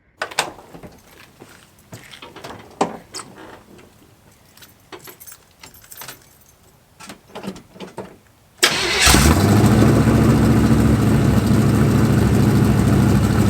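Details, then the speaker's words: 1985 Chevy square body small-block V8 with Hedman headers, first fire-up: clatter then idle with rhythmic puffing tick over the rumble, exhaust leaks near the header collector before welding repair. "i know what some of you are thinking it doesn't sound terrible but it doesn't sound great either and that's because we do have a few exhaust leaks that we need to take care of"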